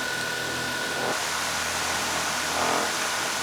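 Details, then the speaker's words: DJI Mavic Air 2 with aftermarket Master Airscrew propellers idling on a table: high whir with thin whistle and rattly surges as the drone dances around on its own; propeller vibration. "hear it dancing around on the table moving on its own"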